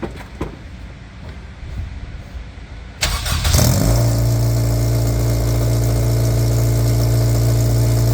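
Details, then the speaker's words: DC5, engine kept low on temperature, catching after a few seconds and settling into a loud, raspy idle with a deep puffing drone; exhaust blowing badly at a broken joint, awaiting welding or a new mid-pipe. "his you C it's blowing bad so like really [ __ ] bad but what's mad is the fact that despite the fact that it's blown really bad it now sounds like it did before it actually fell apart"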